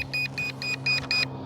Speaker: Okay, so we have a low voltage warning. You can hear it beeping incessantly.